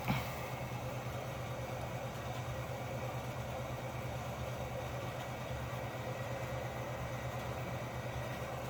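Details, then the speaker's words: Espar hydronic coolant heater newly installed on 2012 VW Golf TDI, firing up: steady even jet-engine-like low roar with deep hum, no surging or popping; runs smoothly, normal. "And it's pretty funny. It sounds like a jet engine when it fires up."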